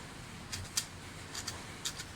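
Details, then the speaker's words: Toyota Corolla small body speedometer gauge on a quiet bench before repair, cable turned lightly by hand. Noise appeared only recently, and the owner also reports an erratic needle. Faint, irregular scratchy clicks from a catching gear inside the speedometer. "Yan, rinig yung mga sir, maingay nga siya. Yan. Yan, sana narinig yung mga sir yung ingay. Mahina lang yung pihit ko sa kable mga sir, pero maingay na yung"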